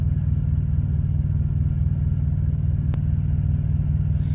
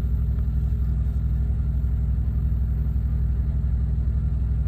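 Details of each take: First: Thermo King Evolution TriPac truck APU that keeps shutting off, shop suspects a temperature sensor: steady low diesel drone at constant speed after it turns over, no obvious knocks or misses; cause not confirmed. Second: Thermo King APU on a truck, heard outside after the air conditioning was selected and fan turned up: low, steady diesel thrum with an even beat and no misses or knocks; APU kicked on and runs normally.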